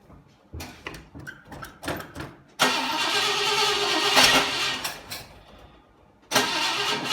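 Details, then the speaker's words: 1960 Pontiac Ventura barn-find V8 with Tri-Power carburetors (outer carbs disconnected), timing advanced to previous setting: cranks, catches, runs lumpy with pops, missing, shaking, backfiring through exhaust and carburetor; owner suspects fouled plugs after electrical problems. "this beast just refuses to run on all eight cylinders and can get it to run so so as you see it's still wanting to miss its shaking and shimmying backfiring both out of the exhaust and out of the carburetor"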